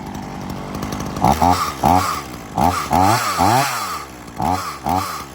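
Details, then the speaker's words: Ryobi RY3716 small two-stroke chainsaw with original air filter and spark plug, revved in quick repeated throttle bursts, dropping back cleanly each time; runs really good and quiet, healthy. "I'll start it up and let you listen to it. Runs really good. It is quiet. Very nice little saw."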